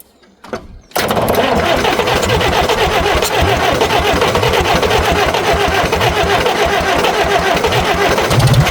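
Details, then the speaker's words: 1960 International B275 diesel tractor, sitting since winter, cranked at about 80°F with glow plugs and jumper cables; loud, labored cranking at about 220 beats a minute that never catches, as the weak battery turns it over too slowly. "Even though it's like 80 out today, I'm still going to use the glow plugs cuz with such a weak battery, it turns over so slowly that any help it can get will help."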